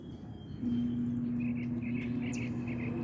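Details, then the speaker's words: Mini split AC that only blows ambient air, fan always on: faint, steady low hum as the compressor tries to start for 3–4 seconds, then shuts off without catching. Failed run capacitor. "Se escucha un poco suave, así que hay que prestarle atención. Más o menos es como si intentara arrancar. Unos 3 segundos, 4 segundos y se apaga."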